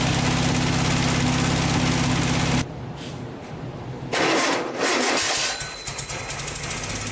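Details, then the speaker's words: Vintage VW air-cooled flat-four from a 1956 Beetle barn find (not original engine), first run after 23–24 years stored: smooth even idle a few seconds, no knocking or rattling, then cuts out to background noise. "can't believe it fired right up after 24 years of sitting in a barn these Volkswagen engines are just bulletproof"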